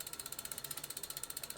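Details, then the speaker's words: Daughter's bicycle with rear derailleur already adjusted: fast, even freewheel ticking with no rubbing or stray clicks — drivetrain running clean. "you can hear that it sounds like a dream can you hear that there is no unnecessary or unusual or strange or weird clicking or rubbing noise"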